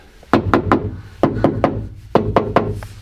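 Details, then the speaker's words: Subaru STI door during sound deadening, panels wiped down inside and out: three quick knuckle raps, a pause, three more, each ringing hollow and tinny; bare door skin resonating for lack of sound deadening, rattly when doors close. "but also just when it comes to even closing the doors you're not gonna get that awful rattly that sounds awful"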